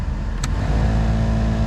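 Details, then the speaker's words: VW Gol G8 air-conditioning blower fan, before cleaning: steady low hum at speed 3, with a throbbing vibration and louder noise at speed 4; blower fan imbalance vibration. Cleaning the fan wheel and lubricating the gears cured it. "quando liga o ventilador aqui na velocidade 4 ó na velocidade TR faz um pouquinho e na quatro a gente sente dá uma vibração zinha de um barulhinho mais alto"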